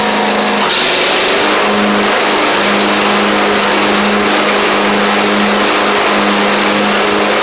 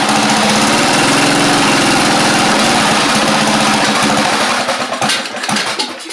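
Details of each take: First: Craftsman YT4000 riding mower getting an engine swap (original 24 hp Briggs ran low on oil): small single-cylinder engine holds a steady, even hum with no knocks, misses or surging; runs pretty good, normal running. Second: Craftsman YT4000 riding mower running a replacement engine after the original 24 hp Briggs ran low on oil. A loud single-cylinder chugging at a slow, slightly uneven idle before dying down. The idle speed is set too low, and debris in the muffler is burning out.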